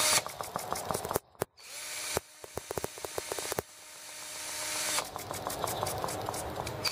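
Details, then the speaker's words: Small R18 engine running with new replacement ignition: fires in ragged, uneven bursts with stumbles and a brief cut-out, a misfire; spark plug is arcing around the outside, plug needs better insulation. "oh yeah I can hear it arcing around the outside"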